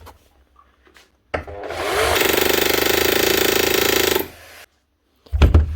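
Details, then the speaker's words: SDS rotary hammer with a burnt-out armature on a quick test run: rapid, even hammer blows over a dull, labouring motor hum running slow; hammer mechanism still gives plenty of force, needs a new motor. "Yeah, actually it kind of sounds alright. It's running slow because the motor's burnt out. There's still plenty of hammer force coming through here."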